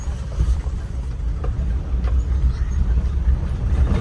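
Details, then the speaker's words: Toyota Qualis after clutch set replacement plus suspension work and silencer replacement: steady low drone while driving, no clunks or judder, even engine and road hum. Clutch and driveline feel smooth after the repair. "അതുപോലെതന്നെ clutch കാര്യങ്ങളൊക്കെ മാറ്റിയിട്ടുണ്ട് ഇതിനകത്ത് അത് അപ്പൊ തന്നെ നമുക്ക് ചവിട്ടുമ്പോഴും clutch ചവിട്ടുമ്പോഴും അതുപോലെതന്നെ ഓടിക്കുമ്പോഴും അതിന്റെ ഫീലിംഗ് നല്ലവണ്ണം കിട്ടുന്നുണ്ട്"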